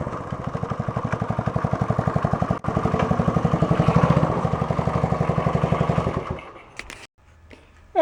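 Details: 1972 Honda SL125 single with new battery, cold start on handlebar choke: small single thumping at an even idle, around four beats a second, steady for six seconds before shutdown; starts and runs fine.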